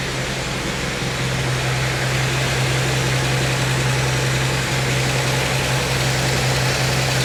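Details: 1952 Chevy Styleline Deluxe, Rochester carburetor cleaned of debris stuck at the float needle: a steady, even idle hum with no misses or knocks; normal idle.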